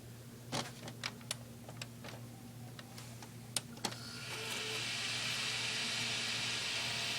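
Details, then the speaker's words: Desktop PC with a temporary old ATI Radeon graphics card running at about 97 degrees, plus CPU, PSU and an added case fan: handling clicks, then a loud, steady airy rush as it starts. The graphics card fan is the dominant noise. "a lot of that sound is actually coming from the graphics card thing on this old ATI radi"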